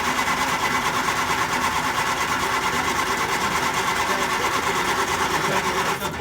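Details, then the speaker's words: 1967 Triumph Spitfire Mk II: a rapid, even starter churn of about three beats per second that never catches. Pump assumed dead, a cranking no-start from a failed mechanical fuel pump. "So I'm assuming that that pump is probably dead."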